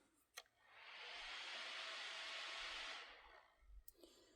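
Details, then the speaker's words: Lenovo ThinkPad Twist laptop at power-on while charging: cooling fan surges into a loud airy rush with a faint thin whine, then winds down. Noisy fan, cause unknown. "yeah that fan doesn't sound great"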